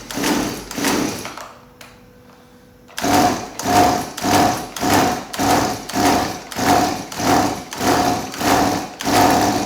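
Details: Stihl MS180C chainsaw on 50:1 mix, first start after carburetor work: after a brief stall the idle surges up and down about every 0.6 seconds; hunting idle needing idle-screw adjustment.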